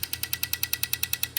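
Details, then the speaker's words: BMW E46 with M52B28 swap, new injectors, fuel rail empty, each injector pulsed in turn from number one to six to check wiring, heard in inlet manifold: crisp even clicking about ten per second; injectors firing normally. "they'll probably pulse pretty loud and you'll hear them in the inlet manifold so we're going to start at number one and work our way to number six"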